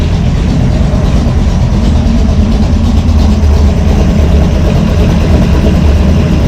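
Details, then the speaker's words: V8 with a Brawler 650 CFM double-pumper carb, timing 16° initial and 36° total, one idle mixture screw turned fully in: a deep idle that lopes and stumbles unevenly. Idle mixture far too lean. "We'll just turn this one all the way in to show you. Anyway, really doesn't like that."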